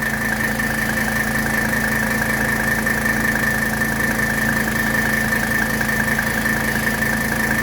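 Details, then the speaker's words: 1985 Mercedes W123 300TD diesel at idle with a new AC compressor and dryer, while being charged with R12: steady idle with a constant mid-pitched hum as the compressor kicks on; no knocks or grinding, normal. "okay I just heard the compressor kick on so that's good"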